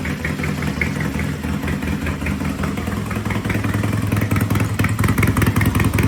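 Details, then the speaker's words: Triumph T100 vintage British twin after repair: loud, even beat at steady fast idle with slight rise near the end, no knocks or rattles; sounds good, some smoking, to be judged after a few miles. "sounds good. Loud, sounds good. Yeah."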